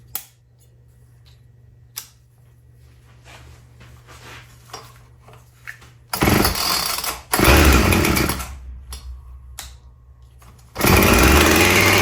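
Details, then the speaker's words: Husqvarna chainsaw, previously a no-start, after carb primed: starts on choke in one or two pulls, then restarts without choke and holds a crisp, even high idle with clean revs; normal running. "wow so it's running better than I could have imagined I choked it pulled once twice I think before it cut and then from there on uh without choke started right up ran at high idle"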